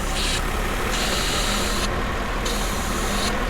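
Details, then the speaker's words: 1995 Mercedes SL280 with erratic warm idle and hot-start problems. With the vacuum pipe pulled off the top of the intake manifold to induce an air leak, a sharp hiss sounds over the idle and the idle starts to hunt. "There's a vac pipe that comes off the top of the manifold, and if I disconnect that, you may even be able to hear it hissing. Come on, it's been off once. You hear that hissing and it starts to hunt,"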